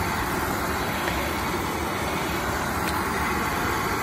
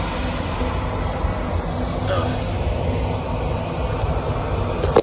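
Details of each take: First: Oil-fired heating boiler that would not light: burner now ignites with a steady, even roar, no sputter, but a restricted oil supply starves it and it shuts down. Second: Oil-fired boiler that would not light because clogged filters restricted the oil, after all filters were replaced: a steady low roar with an even airy hiss and no sputtering or surging, indicating the flame holds normally.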